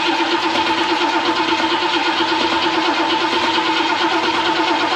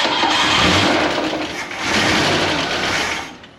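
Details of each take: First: Ford Mustang muscle car sitting since 1993, fuel poured into carburetor after accelerator pump squirters checked: cranks and catches roughly for about ten seconds, uneven and rushing, then cuts out; won't keep running, probably flooded. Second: Ford Mustang muscle car sitting since 1993, two-barrel carb, first start on fuel poured in with no fuel pump: catches and runs a few seconds smoothly without knocks or rattles, then dies; engine sounds healthy.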